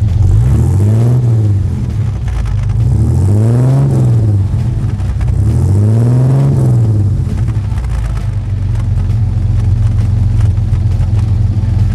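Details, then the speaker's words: 1966 Chevrolet C10 six-cylinder, heard at the tailpipe: a deep, even rumble with revs rising and falling every few seconds and no misses. Normal, healthy exhaust note. "mais incrível do que esse 6 cilindros da Chevrolet aqui hum Será que existe"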